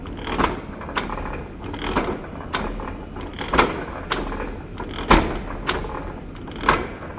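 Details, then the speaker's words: Slotter machine ram cutting on the forward stroke and idling on the return. Regular clunk roughly every three quarters of a second as the ram cycles; machine runs normally. "और आपका material जो है forward direction में cut करेगा, return direction idol होता है, कोई working नहीं होता है रिटर्न में, जैसा कि आप देख सकते हो।"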